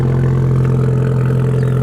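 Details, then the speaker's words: VW GTI four-cylinder petrol engine on a cold start after new spark plugs fixed its problem: steady deep even idle with no misfire pops; crackling had been noticed when warm. "Sounds pretty good. Let's go look. See what's happening over here. Sounds pretty good."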